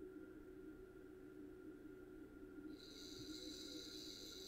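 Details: Bose 3-disc CD changer showing a disc error on all drives, with the disc spindle motor fed directly from a bench power supply. A faint, steady high whine comes in and holds even; the motor spins freely. A short on the motor was suspected.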